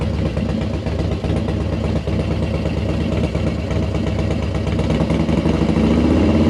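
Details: Harley-Davidson Dyna Wide Glide FXDWG V-twin after inner primary, shift shaft and mainshaft seal repair: deep loping even idle, no knocks or rattles; easy-start cam compression releases thump at low rpm; normal.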